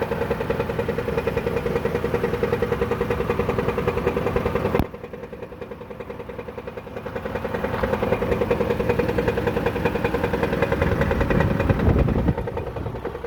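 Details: 2014 Dodge Caravan, warm idle where the noise is most pronounced: rapid, even metallic clatter on every turn of the engine; dealer diagnosed a flexplate, which was found badly cracked around the center when pulled.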